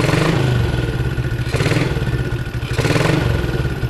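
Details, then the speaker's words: Yamaha Jupiter MX engine revved with the stator (spul) socket unplugged, mic near the engine: thin whistling hum persists, also flickering the headlight. "ya ya bunyinya ada ngungngung kayak gitu lah"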